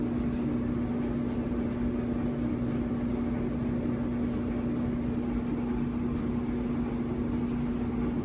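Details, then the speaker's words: An old Maytag dryer that wasn't drying, just reassembled after repair and set for 20 minutes, gives a steady low hum over an even tumbling rush with no knocks or squeal. The noise is odd and the dryer isn't heating yet; the cause is unknown. "I've never heard that before let me just finally working I don't know it sounds scary"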